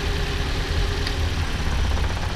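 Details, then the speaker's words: About 2013 RAV4 at idle after swapping coils between cylinders 2 and 3; misfire stays on number 3, so dead spark plug suspected; lumpy uneven beat with dropped pulses; cylinder misfire. "the misfire is not moved. It's still on number 3. Which would mean that we've either got a dead spark plug."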